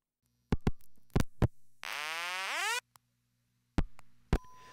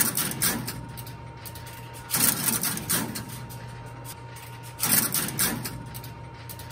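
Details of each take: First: Crossbar telephone switch routed to last-resort crybaby tone: relay clicks, then a rising wail about a second that cuts off early; only half the tone plays because the oscillator tubes and crybaby need replacing. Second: Crossbar switch marker working a route-advance call with all 832 trunks made busy by busy plugs, so it picks an alternate trunk route. Relay clatter bursts about every 2.5 seconds over a faint hum, sounding different from a normal call; normal operation.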